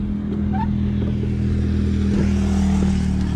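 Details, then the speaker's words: Suzuki Smash 115 motorcycle running after overheating, rear wheel locking and skidding at about 107 on GPS: uneven, lumpy beat with a droning tone under road noise; engine now sounds rough and different, cause unknown to owner. "Eh mga tol, iba na yung tunog niya. May kakaibang tunog na sa makina mga tol."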